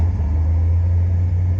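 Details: Fuel-injected Corvette in a home garage, restarted after noisy lifter work: short burst of steady, deep idle rumble with no ticking or tapping on top; normal idle, sounds smooth and healthy.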